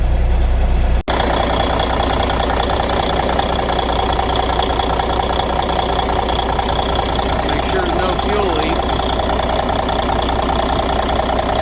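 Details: 1993 International 9200 with N14 Cummins diesel, sitting since 2008, now running after no-start: heavy diesel ticks over at steady, even idle with low rumble and faint hiss; airline air leaks suspected, normal idle.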